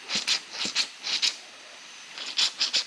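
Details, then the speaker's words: Husky 17-gallon air compressor giving sharp, high-pitched hissing puffs in quick pairs with no motor running. Air is leaking at the pressure regulator, the part whose fitting broke in shipping and was repaired earlier. The regulator needs replacing. "yep we got to get us a new regulator darn it well at least it'll be an easy fix this isn't leaking this is leaking and that's what part that was messed up before"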